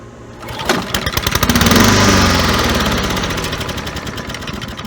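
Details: Neglected Honda Harmony II push mower, pull started on starter fluid: catches and revs hard, then the beat slows and fades as the fluid burns off; fuel delivery still suspect.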